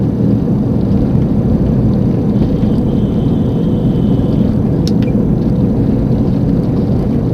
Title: Front Wheel bearing Annoying Sound.